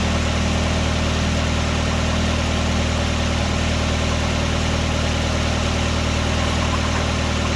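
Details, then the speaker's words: 1999 Nissan Sentra 1.6 running after an EGR delete and new headers were installed: a smooth, even note with a steady low pulse and no ticking or blowing. Much quieter than before. A little oil smoke appears near the oil pan. Normal running. "Man, this sounds much better. Much better. Much better. I was getting tired of how loud this thing was sounding."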